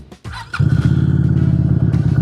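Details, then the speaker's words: QJ Motor SRV 250 AMT with 250 cc V-twin engine and belt drive, started up: brief crank then a deep, lumpy but steady twin-cylinder burble, fairly aggressive sound. Normal idle. "Nah, ini suara idolnya nih. Ah, lumayan ya. E lumayan buas nih buat suaranya karena dia pakai mesin Vitwin 250 cc"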